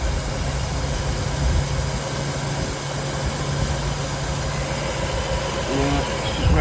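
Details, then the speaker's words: Jaguar X308 XJ8 4.0 V8 automatic, LWB, after serpentine belt replacement: smooth even idle with a light rev blip and no belt squeal or chirp; running sweet and healthy. The old belt was replaced just in time. "Let's uh start her up. I'll have a listen to her. That's all it's all sweet as a nut now."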